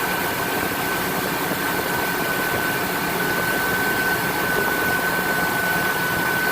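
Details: Ford F-250 first startup after new engine install: smooth steady idle with a faint constant high whine, no knocks or misses; normal idle.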